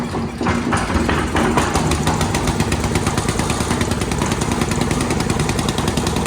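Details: Dad's old concrete mixer small single engine, after carburetor jets cleaned, pull-started; catches and runs but uneven and sputtery with stumbles, running rough and needing a tune-up before oil change.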